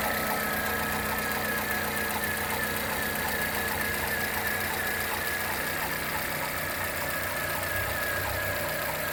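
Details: Corsa Classic/Celta engine at steady idle with a light, uneven knock about three times a second riding over the engine; source unclear.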